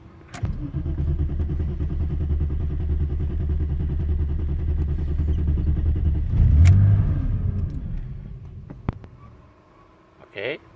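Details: BMW E32 7 Series with M30 six-cylinder, hard-start problem after stalling when parked: starter churns steadily for about six seconds, never catches or speeds up; cranks but won't fire, with a broken inline fuse suspected.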